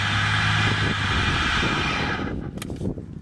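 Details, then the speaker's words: 1988 BMW 325i E30, M20B25 engine, first start after sitting 6 years: runs roughly about two seconds on gas poured into intake behind throttle body, then stumbles out; tank gauge empty, owner suspects it needs gas. "I think it just needs some gas in the tank. The gauge is reading empty, so we'll repeat this process and hopefully get the engine primed up with some new gas and have it running."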